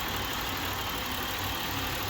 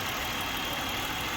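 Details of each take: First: 2007 Buick LaCrosse 3.8 V6 at idle with the EGR valve commanded open at 10% (1.2 V) gives an uneven, lumpy, rougher idle. Idle gets rougher as the valve opens further. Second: 2007 Buick LaCrosse 3.8 V6 at idle with EGR not actuated: steady even smooth hum, no misses or knocks, normal idle; opening EGR makes idle rougher.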